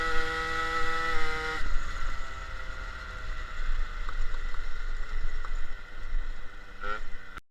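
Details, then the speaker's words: MBK 51 scooter, Malossi G2 replica 50cc, Dellorto PHBG 19 with Ø60 venturi replacing Malossi E3 air filter, Giannelli pipe: raspy two-stroke buzz with louder open intake roar; jet raised 5 points, still seems lean; loud intake noise without air filter. "Bon, rouler sans filtre, ça fait quoi? Alors, déjà, ça fait plus de bruit. On l'entend bien sur les vidéos. Ça fait déjà plus de bruit."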